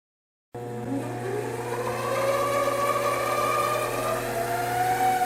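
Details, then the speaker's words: Two-speed 7x14 mini lathe, stock motor with speed control faulty in first third of potentiometer: steady hum with wavering howl; attributed to motor tensioner bolts pressing on motor, eliminated by undoing tensioner; chuck vibration at 896 RPM. "It has that typical howl, which is usually just the way the motor tensioner bolts are pressing against the motor, and you can eliminate that by just undoing the tensioner."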